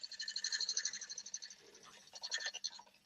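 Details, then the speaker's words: Woodturning lathe cutting a yew platter with a gouge: quick, uneven scraping knocks about three a second as the tool bounces and catches on one of two branch inclusions during a light cut under half a millimetre. "I can feel it bouncing. Can you hear it bouncing? Hear it knocking? Yeah. Yeah. That's on one of those two branch inclusions."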